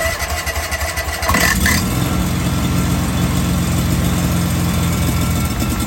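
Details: DR field and brush mower being repaired after a burnout, started with starter fluid because there was no gas: a few uneven starter turns, then it catches and settles into a steady, rough-edged single-cylinder idle. Normal idle.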